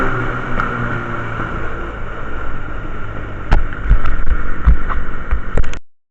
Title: Bruit moteur quad